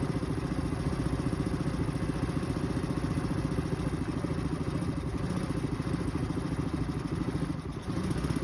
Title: 2023 Suzuki 9.9 efi problems rough idle at random time #suzuki #suzukioutboards #outboards